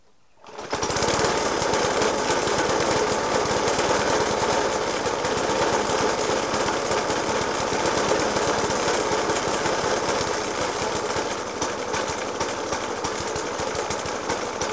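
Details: Suffolk Punch 30S mower, 1991 era, Dellorto FCH 20 carb; after new spark plug, decoke and carb clean, still loud irregular banging about three times a second through the idle, never settling to an even beat; cause unclear.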